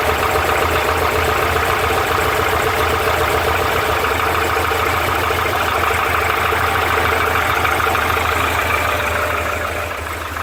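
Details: Porsche 912 air-cooled flat-four at idle: fast even hollow knocking about three per second over the fan hum, piston slap.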